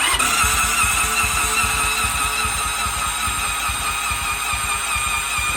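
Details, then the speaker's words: Motorcycle cranked with battery booster, plugs out, throttle open, during compression test: fast, light, even cranking about two and a half pulses a second with hardly any labouring; about 30 psi against 150-plus expected, motor bad, head suspected. "It's supposed to have closer to like 100 and 150 or more at least. 150 plus, and it's got like 30. So the motor is bad."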